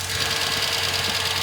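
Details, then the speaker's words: 1998 Ford Ranger 4.0 L V6, 62,993 miles, out of service about a year, idling with a steady, unchanging fast chopping tick-knock; source unidentified, could be top, bottom or middle of engine. "This one has a 4.0 liter V6 with only 62,000 miles, but the engine is knocking. It's steady chopping, ticking, knocking."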